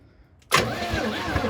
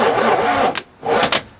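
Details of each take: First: 1985 Oldsmobile Cutlass G-body 307 V8 revival, spark plugs out, engine freed after sitting for years: starter spins the engine evenly and quickly with no grinding; normal cranking, engine turns freely. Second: 1985 Oldsmobile Cutlass G-body 307 V8, dormant for years, just freed up, with plugs and distributor wire refitted, on its first start attempt: two short bursts of cranking with no firing, then quiet. Cranks but won't start.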